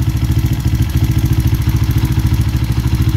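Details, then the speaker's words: Kawasaki KLX 150 at idle: steady rapid clatter, about three knocks a second, that goes quiet when the clutch lever is pulled; the noise comes from the clutch, not the connecting rod or engine block. "itong yung clutch ay maingay rito Hindi po sa makina yan sa clutch lang po yan"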